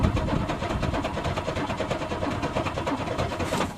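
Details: Car unused since June, cranked on a cold morning: rapid even starter chugging, about four to five beats a second, with no catch or firing; the engine cranks on and won't start, cause not confirmed.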